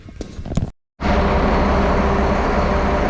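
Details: 1974 Allis Chalmers 7080 diesel tractor after bleeding air from injectors: after a brief gap it catches and settles into a steady, even low rumble without misses; normal running.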